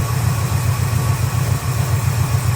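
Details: 1971 Chevy C10 carbureted 350 small block, now with accelerator-pump shot after no-start troubleshooting. Steady, even low idle rumble with a regular pulse and no misses or knocks, running better than ever.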